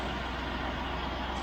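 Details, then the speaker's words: 1971 Range Rover with Petronix-type electronic ignition in the Lucas distributor, which greatly improved running, held at steady revs. Smooth dense roar with no misses, stumbles or knocks. Normal revving; owner doubts the viscous fan is working. "So you can hear the engine is purring. Really is purring. And that's on the Parental system."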